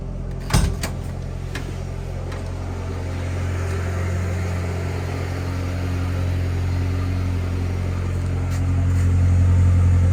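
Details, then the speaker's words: LPG-converted MWB Mercedes Sprinter, head gasket re-skimmed and sealed earlier, at cold start with the temperature low: after a brief click, a smooth, even low hum settles into a steady idle with no knocks. A healthy cold idle. "so let's do a cold start let's open the window so you can hear oh see the temperature is low and we'll keep it there for a bit just so you can see it starting up cold"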